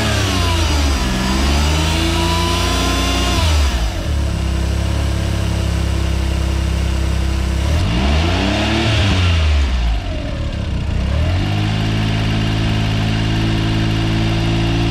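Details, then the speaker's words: Suzuki AZ-1/Cara F6A DOHC engine revved with AC compressor on after new AC and alternator belts: a whirring tone rises and falls with revs; hissing gone, owner suspects a noisy AC compressor, unconfirmed. "so the ac compressor is on it seems to be running and i'm going to rev it up a little bit because that nasty noise is from the revving"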